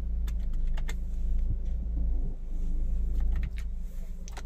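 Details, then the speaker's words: Maruti Brezza with push-button smart key, previously would not crank, now starting after fault checks. Low, even idle hum with key and switch clicks, no warning lights, AC working; smooth, steady idle. "तो यह हो गया हमारा success हो गया है गाड़ी के अंदर कुछ भी फोल्ड नहीं है"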